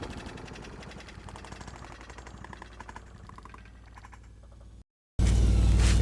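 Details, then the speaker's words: Broken-recoil mower engine rope-started from the top on starter fluid to test the coil: rapid irregular popping bursts for a few seconds, then it dies; the engine fires, so the ignition coil gives spark. "fire up it does cut cardboard so uh"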